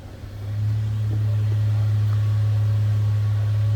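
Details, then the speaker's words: 2002 Toyota Tacoma SR5 TRD Off Road, heard from the rear at the tailpipe: a deep, steady, even rumble with no misses or rattles, a normal stock idle. "slip around to the back so you hear it run nothing out of the ordinary there what you'd expect a stock tacoma to sound"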